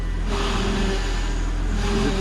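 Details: Volvo V70R at idle after a few days' driving: steady mid-pitched drone over the engine without ticking; power steering pump noise, with fluid then checked and a broken part found.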